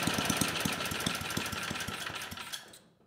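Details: 34-year-old Tecumseh H30-35387Y on a Troy-Bilt Tuffy tiller, after a no-compression repair with a new clone carburetor; loose uneven popping with a sharp rattle for a few seconds, then winds down and stops; running again but the carb still needs tuning.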